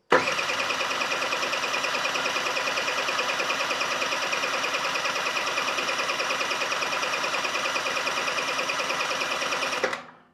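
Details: Swende's Sfera scooter with mysterious no-start: fuel arriving, spark plug leads attached, choke on, electric starter whirs evenly about ten seconds, engine spins freely but never fires; cause still unknown.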